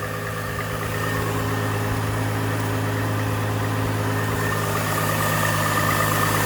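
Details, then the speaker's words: 2005 Buick Rainier idling after codes cleared from a cylinder 1 misfire (flashing check engine light, suspected coil); check engine light off, smooth even idle on all six with no stumble; normal idle. "Check engine light is not on. Of course, there could still be an issue, but the engine seems to be running smoothly."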